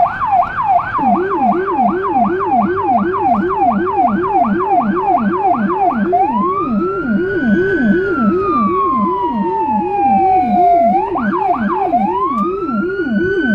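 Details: Federal Signal Rumbler siren on a small emergency car in Budapest, recorded from inside: a fast whooping high siren about three cycles a second over a deep throbbing 180–360 Hz pulsing low tone; normal Rumbler operation.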